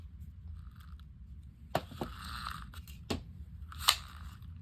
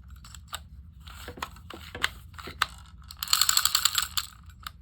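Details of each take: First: South Bend Oren-O-Matic No. 1140 Model D automatic fly-fishing reel during reassembly after cleaning and lubrication: sharp, irregular metallic pops over a low room hum as the spring hook, not seated in the spring, pops loose. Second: South Bend Oren-O-Matic No. 1140 Model D automatic fly reel after cleaning, lubrication and fixing a loose screw that caused binding: crisp, even ratchet clicking as the spring winds and releases, no grinding or sticking; working normally.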